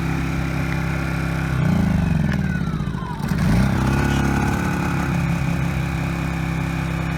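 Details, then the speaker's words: Honda EU1000i inverter generator running rich, smoking and stalling after carburetor cleaning: at intermediate speed under a 60 W bulb load it hunts and stutters, pitch dipping and recovering. Carburetor problem suspected; later replaced with a new carburetor. "er and if you put a load on it it stutters even more I only have a 60 watt light bulb so it's not going to probably stutter severely but you'll get to see what it's doing"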